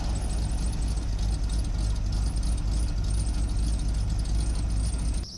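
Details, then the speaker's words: 1986 Chevy K20 Custom Deluxe pickup, sat for years, mechanical fuel pump, started after gas poured down the carb and long cranking: old V8 runs on its own with steady low rumble, no misses or knocks, then shuts off. Normal running. "So, it took quite a bit of cranking, but eventually the fuel was primed again and it sat."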